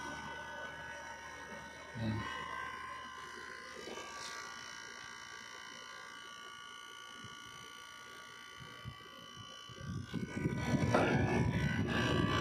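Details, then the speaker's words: Window-type aircon after repair; loud drone on cooling mode was caused by the compressor rubber hitting its plate, now fixed: steady, even low hum with faint fan whir, no droning or rattle; normal quiet running. "So hindi na siya maugong An so ito na guys yung ating aircon wala na yung kanyang Ugong na malakas na tunog Ayan so tahimik na siya guys"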